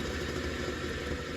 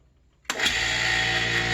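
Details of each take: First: An inexpensive bench grinder nearly 50 years old, from the mid-1970s, vibrates badly. It runs with a rough, rumbling hum and steady rattle from a bad bearing on one side; the other side is tight. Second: Nearly 50-year-old bench grinder after oiling a noisy bearing, wire wheels removed: spins up to steady even hum with light whine, no knock, winds down cleanly; runs much better than before, bearings sound healthy.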